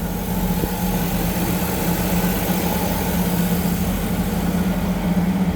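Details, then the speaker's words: 1962 Ford Falcon with a 200ci inline six, T5 swap and Holley Sniper, first start after 8 months: steady, even low hum with no knocks, misses or ticks. Smooth, healthy idle, though the air-fuel ratio later reads rich at 9.8. "So, it's been 8 months and it started up pretty good."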